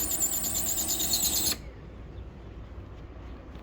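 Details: Canon imageClass LBP122dw laser printer making noise: high, thin squeal with a faint repeating rub, cutting off cleanly when it stops; worn fuser sleeve.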